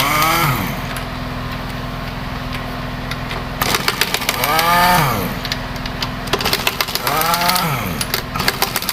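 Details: Honda Vario 110 scooter that ran out of oil, engine blipped repeatedly with the CVT roller housing removed and no load: harsh rattling clatter over each rev rise; piston and rings damaged from oil starvation.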